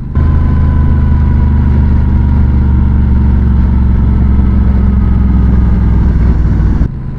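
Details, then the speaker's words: Honda Rebel 1100 on new Pirelli Night Dragon tires, 137 miles in, at highway speed: steady low droning hum with even buzz over the engine, felt as high-frequency vibration numbing hands and feet; tire buzz suspected, not confirmed. "and I think that buzzing is what is creating this high pitched or high frequency vibrations I should say which are causing me to have numb hands and numb feet"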